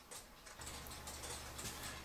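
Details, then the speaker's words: Cuckoo clock after bending the back wire behind the pendulum wire to level the movement: soft, steady, evenly spaced tick-tock with no limping rhythm; clock now in beat. "It has the nice even tick-tock sound to it. And so now it doesn't stick out like a sore thumb because it's crooked."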